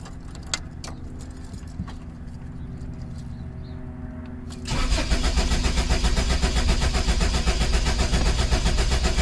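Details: 1984-89 Toyota Van Wagon after fuel pump replacement, about four gallons ethanol-free fuel, cold start injector possibly unplugged: quiet clicks then steady starter cranking near four turns a second that never fires; cranks but won't start, no fuel delivery, cut fuel pump connector plug suspected.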